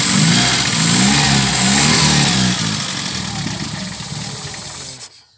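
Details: VW G1 with carburetted AP engine: idle surges and wavers, then sags and dies within seconds; fuel pump pressure practically zero, engine starving for fuel, had stalled repeatedly on the road.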